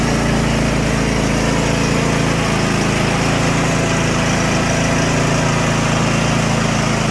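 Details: Craftsman T8200 Pro riding mower (2016, 46 hours), 24 hp Kohler Elite KT735-3068, after carburetor repair and flushed fuel lines: steady, even engine note with constant pitch, no surging or stumbling; running smoothly.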